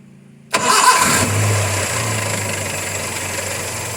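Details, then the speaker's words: Nissan C22 van after fixing blocked oil pressure switch that caused loud engine noise and warning light: quick crank, brief flare, then quiet even idle, no rattle; light off, oil pump to be cleaned too. "Okey, hilang. Dan bunyi enjin pun dah berubah jadi senyap."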